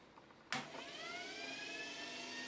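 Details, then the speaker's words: Washing machine brushed motor wired via terminal block and fed with +12 V on the bench: a click, then a whine climbing in pitch as it spins up and settles into a smooth even hum; runs fine. "l'entendez bien, mon moteur est en rotation."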